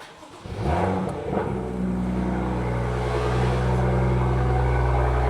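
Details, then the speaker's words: BMW M2 (N55) with M Performance exhaust tips removed, to address the rattle heard on cold starts: the engine starts into a deep, steady burble with no tinny buzz or loose-tip rattle. It sounds a lot better. "Sounds a lot better."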